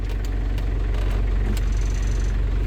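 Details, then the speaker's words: London Taxi diesel automatic at operating temperature, fluid topped up after sump gasket renewal: steady low idle with even beat, no flare or labouring selecting gear; engagement virtually instant, previously delayed when fluid low; normal. "So that's much better. Virtually instant as I come through the gear now."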